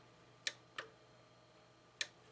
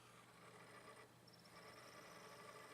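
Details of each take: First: Sony DVP-NS45P DVD player making quiet, sharp ticks about every half second and refusing to read the disc. The owner suspects plastic part misalignment from weight resting on top; not confirmed. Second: Sony DVP-NS45P DVD player tested after rearranging the weight stacked on top; suspected plastic part misalignment. A faint steady whir and light hum with no scraping or wobble as the disc spins up normally.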